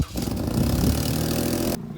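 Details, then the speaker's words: Lexus IS250 at start-up: loud raspy roar dropping to quieter idle, exhaust noticeably louder at the front; leaking, rusted exhaust, fixed by replacing catalytic converters and exhaust system. "hear the exhaust gets louder at the front right here so if we go under here that's where our exhaust problem is"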